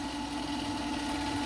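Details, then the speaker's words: Vevor 8x14 mini lathe after upgrade from 3/4 hp brushed motor to 1 hp servo motor: steady motor hum with bright tone and faint scuffing hiss, drive belt rubbing the belt cover corner, as it did on the old cover. "and it also it also fill the belt was hitting listen to that [Music] we both hitting this corner a little bit on the old ones"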